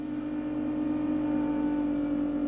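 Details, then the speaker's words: Salvaged car with full service history and cambelt replaced, just started after sitting for ages; steady high-pitched whine at fast idle, no knocking, fading as revs drop; owner thinks it's from sitting, maybe the alternator, not confirmed. "that noise going to go down I think it is I think it's just from where it's been sat yeah there you go noise it's gone it's just been where it's been sat around for ages that sounded like maybe the alternator just going"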